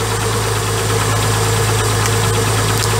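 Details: MG ZS 180 project car idling after a jump start during power steering diagnosis: steady low idle with faint uneven pulse, no clear knock; pump judged fine, power steering fault traced to a leaking hose.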